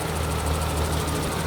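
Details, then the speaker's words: Restored 1991 BMW E31 850i, M70B54 V12 petrol, first start after two years: smooth, even idle firing on all 12 cylinders, with a noisy power steering pump still audible. "It's firing on 12, I would say. The mighty V12 is alive. Sounds good, man. Sounds good."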